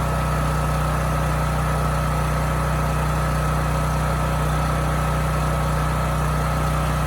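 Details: Homelite generator with Mikuni carburetor after carburetor cleaning that cured hunting/surging, speed set to about 61.5 Hz no load: constant, even drone with no rise and fall; governor steady, runs perfectly.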